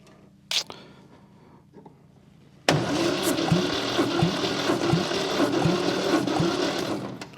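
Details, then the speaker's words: Long-dormant 1971 MGB parts-car engine on compression test, battery not fully charged: starter drags sluggishly, about three labored pulses a second, no firing; slow cranking from weak battery, 105 psi compression reading. "well, considering how slow it's turning over, 105 pounds compression isn't terrible."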